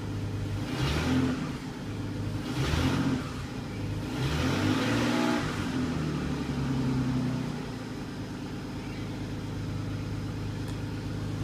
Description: Ford Territory with a exhaust leak Sounding loud